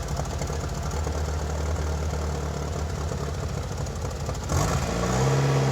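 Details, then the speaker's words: 1997 Mitsubishi Eclipse GSX after sitting almost 5 years, exhaust now hooked up: starts easily, then uneven lumpy idle pulsing about three times a second, smoothing after a rev blip; rough running from vacuum leaks. "Started up nice and easy, running a little rough now. Much quieter since the exhaust is hooked up. smoothing out a little. I do have some vacuum leaks, obviously."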